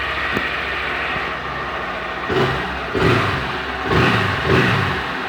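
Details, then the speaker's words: 2021 Honda Fan 160 single, after first start of the day, checking for the engine noise others report: steady idle with a few light throttle blips, no knocks or rattles; owner hears no abnormal noise, normal idle. "Pode ser que eu fui premiado, né? Com a moto que não barulha tanto, igual os caras falam por aí, né?"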